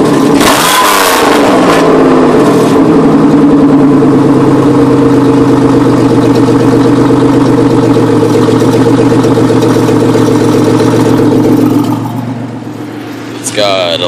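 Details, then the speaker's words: 1993 Chevrolet Beretta GTZ 3.1L V6, 178,933 miles (replacement motor said to have 110k), new radiator, sat six months: revs with a buzzy metallic rattle from a makeshift exhaust with a can, fading at idle. "of rattle to it it's because i did a uh a pretty redneck job on the uh exhaust i haven't had the time to really make it perfect"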